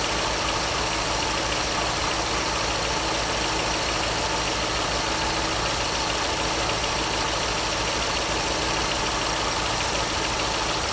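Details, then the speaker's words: 2002 Chevrolet Corvette Z06 at idle, bar soap applied to the belt: squeak at the front of the engine gone completely, steady quiet belt drive. Temporary test confirming the belt itself causes the squeak. "so hopefully you noticed as soon as i touched that belt with the soap the noise went completely away there's no squeaking whatsoever now"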